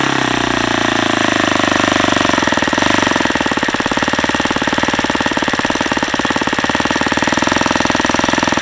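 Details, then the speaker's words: Saito FA-150S model engine, Xoar 17x8 prop, Saito P2 plug, 10% nitro fuel, needle deliberately leaned too far at high speed: harsh, ragged running with uneven hammering over a loud buzz; lean detonation. "okay I guess that's what happens when you lean it out too much"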